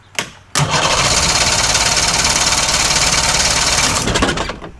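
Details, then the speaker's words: 63-year-old boat engine with points/condenser ignition after rewiring ignition box, magneto and tach leads: fast even cranking about three and a half beats a second, never catching; fuel leaking from carb, cause of no-start unconfirmed. "That sounded like it sparked at the end. Did you hear it? It's like, no. Like wanted to go."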